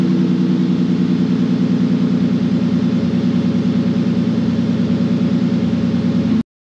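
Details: ST220 first start after fuel pump and fuel filter upgrade, tank bolted loosely with fresh fuel: engine catches and settles into a steady, even idle with a regular low pulse, no knocks or misses; runs normally.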